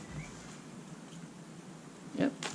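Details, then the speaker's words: Santa Cruz Blur mountain bike rear suspension linkage compressed after lubing lower pivot bearings, shock re-aired; a couple of soft thumps, no squeak or creak, creak eliminated. "squeaky gone. No more squeaky creaky."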